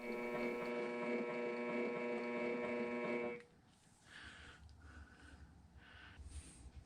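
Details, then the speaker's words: Bridgeport mill 6F table power feed: a steady motor whine with a catch about 3.5 times a second that stops when the feed stops. The pinion is suspected of jumping teeth on the spiroid gear, and a minor gear-hub adjustment didn't fix it. "You can hear what sounds like the pinion jumping over teeth on that spyroid gear."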